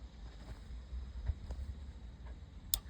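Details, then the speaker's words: Volvo 740 diesel estate, fault finding intermittent overdrive: with a wire from ignition 12 V to the solenoid feed, the relay clicks sharply over a low engine drone as fifth-gear overdrive engages and solenoid is heard; normal engagement. "Relay engages. Fifth gear on. Overdrives in. I can hear the solenoid."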